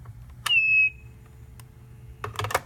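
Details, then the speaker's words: Made-in-China dorm desk telephone: a sharp high squeal of about half a second when the receiver is picked up quickly, then handling clatter. Unclear whether the handset or the hook switch causes it. "when you pick up the receiver too quickly you hear a kind of squealing and it's actually kind of hard to describe so I'll just demonstrate it"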